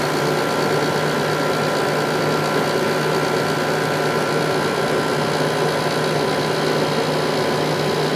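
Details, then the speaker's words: 10,500 BTU window air conditioner from 1995, rescued very dirty, cleaned and motor oiled; steady even hum with constant fan rush, no knocks, rattles or cycling; compressor very smooth, already getting cold, running normally. "this one sure turned out nice considering how bad it was when I got it compressor is very smooth already getting cold"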